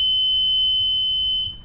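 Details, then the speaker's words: One long, steady high-pitched beep from a Sea-Doo Wake Pro 230 after wiring harness repair, when the key is clicked on: the low battery warning, with the battery apparently original. "let me see what that is oh battery I kind of knew that battery is original it looks like it"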